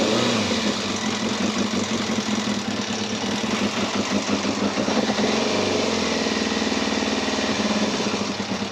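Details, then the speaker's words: Yamaha Thundercat 600, off the road for a long time with flooding carbs, idling in neutral: lumpy, uneven idle with a ragged puffing beat; sounds like an exhaust blow, with the carbs due for a service. "there we go so she's a runner so what we'll do now is we will take the carbs off give them a bit of a service there is a say it sounds like there's a blow from the exhaust as well so we'll have a look at that"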